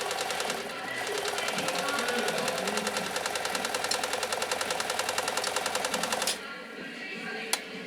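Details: Riccar 2925 sewing machine sewing a decorative stitch pattern with the foot controller under a quarter pressed; light regular clicking at about three and a half stitches a second, even and clean until it stops: normal running.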